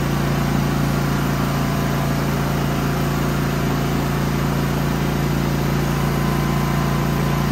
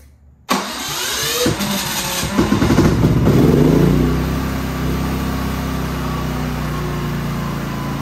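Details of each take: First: Genmax GM9000iED inverter generator after ignition module replacement, housing closed with new foam: steady, even hum at constant speed with no misses, knocks or surging; normal running, though it backfires and pops the plastic case open at other times. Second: Genmax GM9000iED inverter generator after ignition module replacement, which sometimes must be tapped on the floor to start: a crank and catch, then the engine surges and wavers for a few seconds before settling to a steady hum; a reluctant, uneven start, cause unconfirmed.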